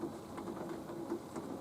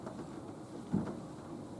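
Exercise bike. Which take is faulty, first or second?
second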